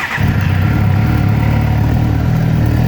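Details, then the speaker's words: 2008 Suzuki GSXR 600 after resetting the ISC valve learned value to cure failure to hold idle: starts quickly and settles into a steady, even idle around 1000–1300 rpm, no FI codes. "Idles like a dream. No FI code, and it's idling right around 1300 RPMs."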